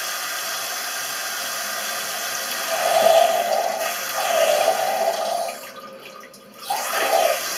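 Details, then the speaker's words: Toilet cistern: constant hiss of water trickling without stopping, never shutting off; continuous noise means the fill-valve membrane seal (joint de membrane) leaks, not the flush seal, and the cistern doesn't fill. "Alors, le joint de membrane, il fuit. C'est en continu. Quand vous avez un bruit en continu ici, c'est pas le joint de la chasse d'eau qui fuit, c'est le joint de membrane."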